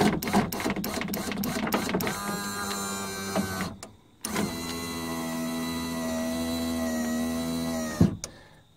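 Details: Nissan Patrol driver's door power window after repairing a dry solder joint in the relay: a few clicks, then the motor runs the window with a smooth, steady hum and stops cleanly; normal operation.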